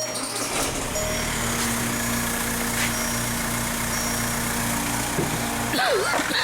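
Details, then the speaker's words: 2004 VW Beetle TDI PD diesel (BEW engine) with injector/misfire codes P1666 and P0301 on cylinder 1, restarted after the code was cleared: steady, even diesel clatter with no stumble, all cylinders firing; normal idle. "seems really smooth now no engine jumping around"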